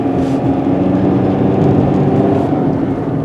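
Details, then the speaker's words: 2012 Jeep Patriot, 141k miles, on a road test for stalling and engine light (P0339): steady loud droning hum with low growl while cruising over road noise; wheel bearings suspected to be worn, not confirmed. "kind of weird about the wheel bearings huh it's pretty noisy"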